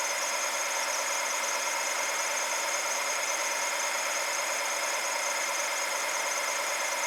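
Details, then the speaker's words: BMW N62 V8 with MAF and fuel-trim codes, after fitting a new sensor and letting it warm up: steady, even idle with a smooth whirr, no stumble, miss or knock, idle tone changed; running normally. "So you can hear hopefully that engine idle tone change. So I'm finally letting it run for a decent amount of time."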